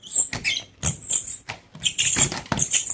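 Shrill squeaking chatter on each sweep, roughly two strokes a second, rubber dragging unevenly on glass; aged, hardened wiper blade.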